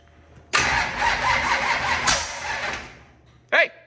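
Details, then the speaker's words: 25-year-old SBC 400 small-block V8 race engine, freshly rebuilt, cranking fast and evenly for a couple of seconds with no firing pulses, then a short burst of noise; no-start, with the crew suspecting timing 180 degrees out. "got fire no not yet I me it's it's 180 leave it to you to put stuff backwards"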